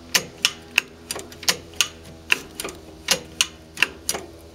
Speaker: So you should hear that clicking into first and back to neutral.